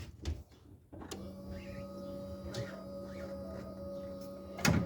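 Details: 1987-96 Ford F-150 with carburetor swap, factory fuel pump rewired with a ground: a click as the relay engages, then a steady low electric hum of the fuel pump priming and running normally.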